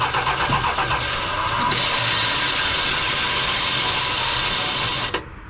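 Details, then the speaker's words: 1978 Dodge Ram crew cab pickup (Thermo-Quad carburetor) cranks steadily about four beats a second for five seconds without catching after fuel was poured into the carb; it had previously started and idled; fuel pump suspected, not confirmed. "What is with this truck? Last time I was here and I did that, it started and idled."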